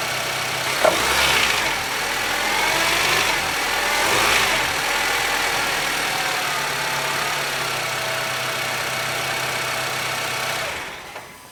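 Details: 2008 Honda Civic FD 1.8 R18 with handbrake engaged: engine catches and settles into idle with a faint rattly hum over it; noise attributed to worn tensioners and engine mounts.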